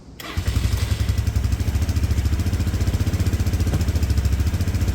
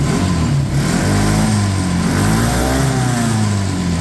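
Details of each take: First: Red auction go-kart, bought non-running, with a vacuum-slide carb: idle screw turned up, steady low single-cylinder idle thump then abrupt cut-out; carb is sensitive to air pressure and runs without the airbox, which was found to hold a mouse nest. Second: Auction go-kart back running after fuel system cleanup and rewired crumbling connector housings; small engine revs up and settles cleanly, even firing with no misses, rattles or hesitation; normal running, possibly better than the red kart.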